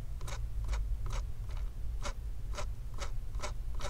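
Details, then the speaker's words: MSI MS-16Q2 gaming laptop CPU fan, turned by hand: dry scratchy rasps about twice a second, blade stiff and hard to spin, buzzing loud when running; seized fan bearing, fan to be replaced. "so you can see that the uh the fan blade doesn't really want to spin it's very hard and this is how it's supposed to look like when you spin a fan"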